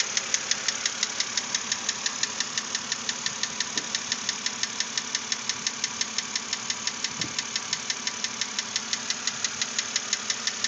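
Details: 2006 BMW Z4 3.0si, about 19,066 miles, at idle: sharp, steady metallic ticking knock about three per second, unchanged after lifter replacement; owner hopes a cylinder head replacement will fix it, cause unconfirmed.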